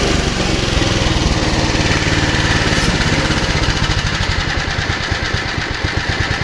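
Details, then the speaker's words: Japan-made Honda HR215 lawn mower, low hours, formerly seized, after 15 minutes of idling: starts readily into a steady even putter that slows toward idle, almost seeming to stall but not; no misfires, no smoke. "almost sounds like it's gonna like it's gonna shut off and then it doesn't well color me amazed"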